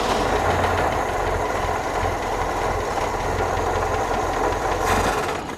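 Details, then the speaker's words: 1969 Opel GT stored 20 years, which had earlier run on three cylinders with arcing seen. The engine runs unevenly for a few seconds, then sags and dies: likely out of gas and starving for fuel; the fuel pump might be bad too. "oh I think it's out of gas yep shut the key off I did all right try it again pump might be bad too"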